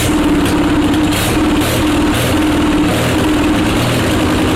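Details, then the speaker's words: Onan Performer 20 hp twin, on bench at constant throttle after reattaching coil/battery wire: steady even low thrumming, no knocks or misses; running smoothly. "that's a big side relief though that she runs like that she's a runner baby she is a runner"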